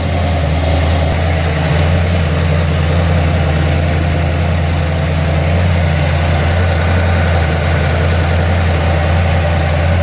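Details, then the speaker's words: Ford XC Fairmont 351 V8 on a run stand with newly fitted Thermoquad carburetor, cold and still on choke while warming up: steady deep rumble, even low throb, no knocks or misses; normal cold idle. "still on choke at the moment but I just want to warm it up a bit so I get to change this over"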